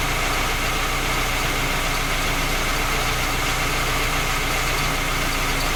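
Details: Skoda Octavia A5 facelift 1.6 MPI, engine knocking when cold despite three engine repairs that did not find the fault: loud, busy cold-start idle with uneven tapping buried in the engine noise; source not pinned down.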